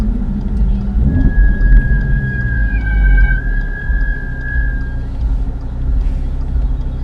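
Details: Audi RS3 after brake replacement, driving: thin steady squeal near top of hearing range over low road rumble for a few seconds, then fading; brake squeal after brake change.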